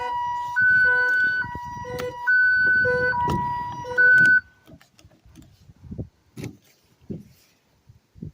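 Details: Long-abandoned Hemi Charger Daytona R/T, key turned on and off to try to disable it: loud two-tone siren stepping between pitches about every half second, cutting off after four seconds; factory security alarm triggered.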